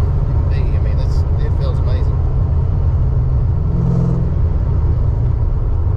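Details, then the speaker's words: Tuned 331 stroker V8 in a GT, driven after a failed brand-new part left it dead; deep, steady rumble with even firing and no misses or knocks under voices, running smooth. "yeah yeah you tell it wasn't just a 302 with some heads on it this engine's smooth"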